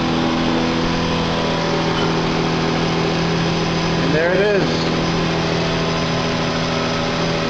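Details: 2005 Hyundai Sonata 2.7L just after a new alternator (TYC 2-11188) was installed and the belt refitted: a smooth, even idle with a steady hum and no knocks or squeals. No battery light; it is charging normally.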